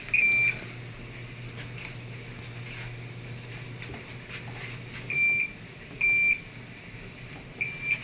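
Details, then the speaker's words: TCL automatic washing machine with no rinse or spin-dry function: long high beep then three shorter beeps over a faint hum; E3 error, water not draining. "so E3 ang arrow usually lumalabas yan kapag spin dry o rin Hindi nga siya nalabas e hindi nalabas ang tubig"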